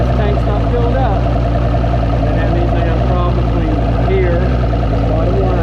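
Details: 2006 Mercury Optimax 225 outboard after main (engine-mounted) oil tank replacement, which had given a false four-beep low-oil alarm while the tank was full; cranked with water running, idling with steady low rumble, even beat, no misses or knocks; normal idle.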